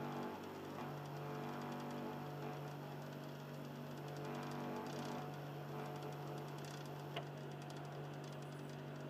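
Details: Xbox 360 Slim in standby mode: a low, steady motor hum with a faint soft, scratchy grinding from its Philips Lite-On DVD drive, the motor sounding lower than before.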